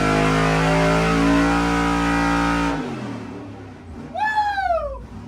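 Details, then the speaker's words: Fuel-injected big-block 1970 Nova on the dyno after the vacuum leak was fixed: a full-throttle pull with a steady, clean rising note, then shut-off and wind-down, making about 442 hp. It goes lean above about 6400 rpm with the injectors at 100% duty. "okay sounds a lot better today that vacuum leak was messing it up"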